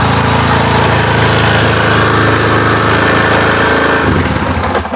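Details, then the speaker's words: Yamaha Scorpio motorcycle, after swapping in a different CDI, started on choke without throttle: raised, fairly steady single-cylinder idle with a quick putter before tailing off; normal higher idle. "Ya, RPM saya tanpa ngegas langsung tinggi. [berdehem] Ya, RPM lebih tinggi menunjukkan bahwa kemampuan bekerja dia baik."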